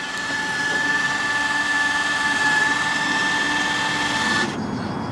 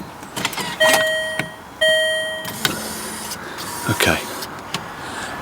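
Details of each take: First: Land Rover Freelander 2 projector headlights with Philips Ultinon LED bulbs, rear covers off: beam adjustment levelling motor gives a steady high whine for about four seconds then cuts out; the motors were blowing the fuse, reflector barely moves. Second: Land Rover Freelander 2 new projector headlight with Philips Ultinon LED bulb, covers off, one adjuster unplugged: beam levelling motor whines steadily in short bursts and the reflector gap widens, motor running normally after fuse-blowing problem.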